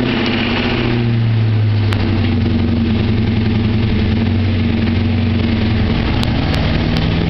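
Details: 1996 Ford Mustang GT V8 with cold air intake, shorty headers, catted X-pipe and Flowmaster cat-back: deep idle with a rhythmic knock under the exhaust rumble, caused by a low-quality aftermarket crank pulley shifting on the crankshaft.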